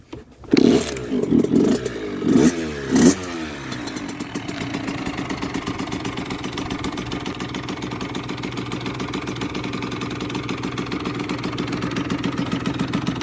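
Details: 2002 Kawasaki KX65 two-stroke freshly rebuilt with a Wrench Rabbit kit, already warm from riding, new chain and sprockets; after a few kicks it fires and settles into a crisp, steady idle with even popping and no rattles, a normal idle.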